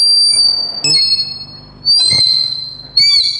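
A piercing steady whistle near four kilohertz swells and cuts off in bursts: the mic is feeding back through the speaker.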